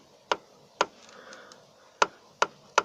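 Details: Sharp dry knocks, five in three seconds at uneven spacing, as the right hood hinge near the windshield pillar is worked by hand; a visible crack in the hinge causes the knocking heard under the panel.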